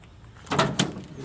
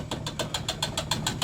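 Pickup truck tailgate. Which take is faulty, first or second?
second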